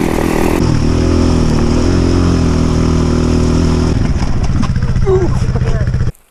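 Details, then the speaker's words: KTM two-stroke dirt bike on fresh fuel idles rough and uneven, wavers, picks up briefly, then dies; it sounds like it runs well on choke and jetting is suspected; rough running and stalling. "Yeah, she really wants to stall. Yeah, I wonder if you just need to run some clean gas through her."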